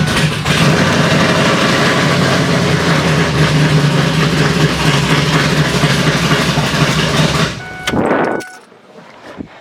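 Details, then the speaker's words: Twin-turbo Ford F150 first start after turbos fitted: engine catches and settles into an uneven, loping idle for several seconds before shutdown, run kept short because the oil pressure sensor shows no reading yet; lumpy but running idle. "did you hear it lope it looked like crazy"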